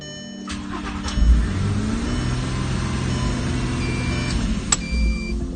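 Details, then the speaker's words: VW Golf Mk4 R32 (#18) test run after a VR6 engine swap: quick crank, catches and settles into a smooth, even idle with a brief blip; normal start and idle, new engine running strong. "once the transplant was successful, it was time for a test run, and we're glad to say number 18's new heart is beating nice and strong."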